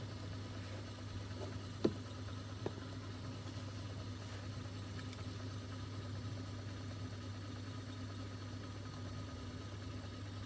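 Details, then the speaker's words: Mastertronic analyzer reference test, first rinse: the empty (drain) motor runs with a quiet, steady low hum at one even pitch and a couple of faint clicks, draining 10 ml reference fluid from the reaction chamber until air bubbles show; normal. "Now you can hear the empty motor starts. You can see that the reference fluids will be drained here, and soon you will see air bubbles that it's completely drained."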